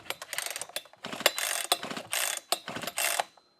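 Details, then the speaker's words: Husqvarna 125B two-stroke leaf blower, on choke: several recoil pulls, each a quick ratcheting rasp, with strong compression but no firing. There is no spark even with another good used plug; the ignition coil was later replaced. "and so of course this thing does have an issue it appears that there is a no spark and I've already put in another good used spark plug in this thing and tried to get a spark out of it and it wouldn't spark"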